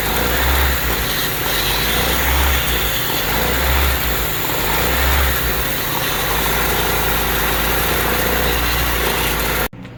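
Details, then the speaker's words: Honda Civic with surging idle: uneven throbbing idle that changes and steadies as brake cleaner sprayed near the injector and intake seals the leak; intake vacuum leak. "so as you heard the idle change basically what's happening is that vacuum leak is being closed up by the brake clean and it could be any accelerant"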